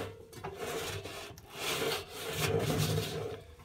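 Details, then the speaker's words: Indesit Innex XWA71451W washing machine (7 kg, 1400 spin, perhaps about 10 years old), drum turned slowly by hand: rough, uneven grinding rasp in waves like going over speed bumps; drum bearing inner race completely collapsed. "it's it's like it's uh going over speed bumps you can't see that but i can feel it you can hear it can you i think i think so that's awful"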